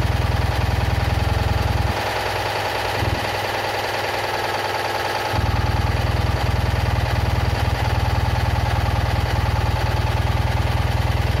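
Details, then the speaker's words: Citroën Ami 8 small petrol twin idling hot, breaker points sparking heavily and weak plug spark: uneven, stumbling beat with irregular gaps in firing; the owner is certain the failing ignition condenser causes the misfires and carburettor coughing. "Bon, mais il a toujours ses trous, hein. J'ai trouvé la cause du condensateur. C'est sûr et certain que ça vient de lui."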